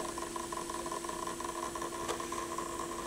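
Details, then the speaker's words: Pioneer PL-707 turntable, motor spinning with the belt off the platter: a faint steady hum with a fine, fast rattle; the source is unclear, not from the applied grease, and lithium grease is tried next. "I can't figure out where that noise is coming from huh weird it's not from the the grease that was applied here strange"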